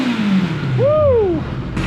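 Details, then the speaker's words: 1982 Kawasaki KZ1000 four-cylinder, sat about 35 years, now running though lean-jetted from factory: clean throttle blip, revs climb smoothly and fall back without stumbling or popping; normal revving. "but it's running good enough to ride it tomorrow I guess we got to check out the brakes first yeah that's what a KZ1000 is supposed to sound like"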